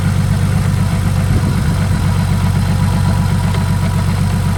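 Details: Saab after upgrading from 57mm to 62mm turbo and replacing a dry-rotted hose that caused an oil leak: deep, smooth idle with steady low pulse of about four beats a second, no ticks or knocks; normal idle.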